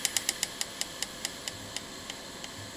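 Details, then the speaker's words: Bang & Olufsen Beocord 5000 vintage tape deck: sharp light ticks, fast then slowing to a few per second as the drive winds down, seemingly from the pulley; slowed down, the pulley is seen wobbling with heavy runout and play. "it's still ticking where is it coming from seems to be coming from the pulley itself"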